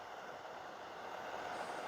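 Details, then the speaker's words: Charity-shop electric fan heater, switched off after running at thermostat 32 down toward 15: soft steady airy whoosh with no rattle or scrape; fan runs on normally to cool the heater. "So, when you turn it off, the fan keeps going for a while to cool it down. Sensible."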